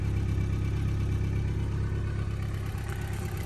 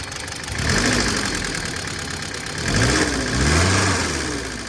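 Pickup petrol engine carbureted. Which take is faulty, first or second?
second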